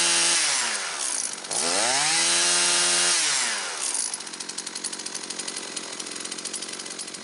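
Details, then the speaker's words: Husqvarna 325P4 pole pruner after fixing a severe intermittent ignition miss by repairing and taping ignition wiring: revs climb and drop cleanly twice, then steady buzzing idle without stumbling; two-stroke running properly. "Alrighty guys, we got the Husqvarna pole saw going once again, but hey, if this helped you out, and remember that this can happen to any manufacturer."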